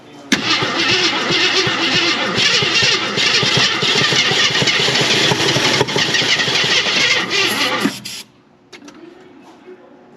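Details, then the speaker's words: 1981 Jeep Wagoneer parked 33 years, on jumper: about eight seconds of steady cranking, it never fires; crank, no start, crushed exhaust suspected, not confirmed. "Yeah, that might have been too much. It did try and pop."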